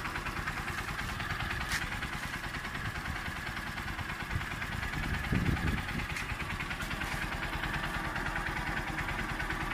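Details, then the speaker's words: New Honda TMX Supremo 150 single-cylinder motorcycle with diaphragm-type carb, brought in by its owner as noisy; even idle with a steady low thump and no sharp valve ticking. "at Ayan napakinggan niyo naman ung andar mga boss"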